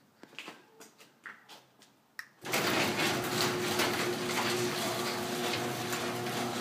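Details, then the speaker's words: Garage door that had a sagging section, after fix by screwing a 2x4 across the sections: after a few light clicks the opener drives the door in one steady, even run with no popping or binding; working normally. "position it works flawlessly and it looks awesome"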